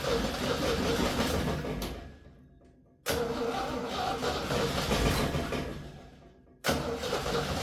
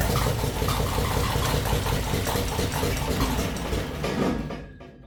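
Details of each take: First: 1966 Jeep CJ5 after rewiring the ignition to cure a spark/short issue, gas poured in: repeated cranking bursts nearly catching, then it starts; coil and wire not heating, plug wire broken, fuel system still to hook up. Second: 1966 Jeep CJ5 after its wiring was repaired to cure a short and no-spark fault, running on a little gas poured in with no fuel system yet and a broken plug wire: it catches and runs a rough, uneven chug briefly, then shuts down.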